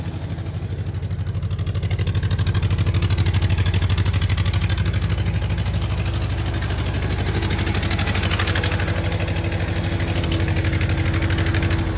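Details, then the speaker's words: 1970 International 434 tractor after distributor cap, condenser and points work, with distributor timing just adjusted: deep, even chug at a steady slow idle with no misses, revving smoothly; runs normally. "all right that might be just where I want it seems to run pretty good"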